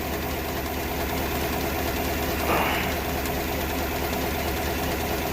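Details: 2015 Chevrolet Tahoe V8 idling with an uneven, loping beat from a misfire with check engine light; the fault followed the number two ignition coil when it was swapped to another cylinder.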